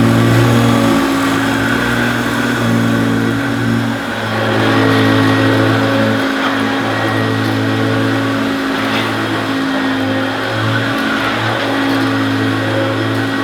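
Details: Oldish Hoover U2716 Turbopower Boost bagged upright vacuum: loud steady roar with constant low hum and rushing air, no surging or rattles; motor sounds sweet and relatively quiet, normal running.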